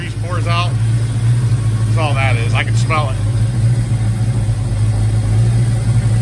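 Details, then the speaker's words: 1990 Mustang GT Foxbody with new engine harness, previously high idle and breaking up at high RPM: steady low rumble at an even idle, no misses or knocks; now running good. "yes it's running good real good"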